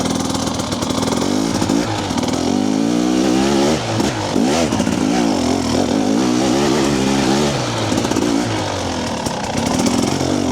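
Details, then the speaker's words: Two-stroke TBI dirt bike after ECU remap with TSP ERM tuner, first gear: revs rise and fall cleanly, crisp throttle pickup, no low-rpm stutter. "so what I noticed this morning as it transitions there into the mid RPM a lot cleaner as well to me it just feels overall more crisp"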